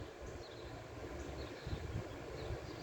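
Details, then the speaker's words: Free R32 air conditioner in garage: compressor kicks on with soft steady low hum and even reciprocating pulse from outdoor side; running smoothly, normal operation. "this thing just kicked on while I was in there so that's running now that's still going"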